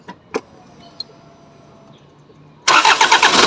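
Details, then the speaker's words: Hyundai Tucson CRDi diesel, cold engine, after removing and cleaning clogged injectors for hard starting and misfire: brief crank, catches on the first try and settles into a firm, even clatter; normal cold start. "allright tingnan natin kung one click na malamig pa makina"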